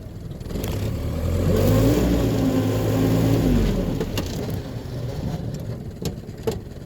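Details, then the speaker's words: Truck just fitted with a used suffix A transmission, test-driving in four-wheel drive: rising then falling whine over the engine; owner calls it tire spin noise and suspects the pilot bearing/bushing; four-wheel drive seems to work. "I'm going to see if four-wheel drive works alright that was definitely tire spin noise the pilot bearing"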